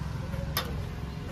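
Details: Jawa 42 motorcycle over three years old; battery reads about 12.3 V and drops to about 11 V on cranking, with a red warning light. A single click with no cranking: weak battery. A new battery fixed it.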